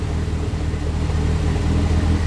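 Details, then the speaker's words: Lancia Delta race car engine rebuilt after a front-end catastrophe, fresh serious cams, idling in closed garage: deep steady low rumble, even beat, no knocks or misses; runs smoothly. "it's not bad there's a little bit you can see things moving but that's um that's got some pretty serious cams in there so that's pretty good"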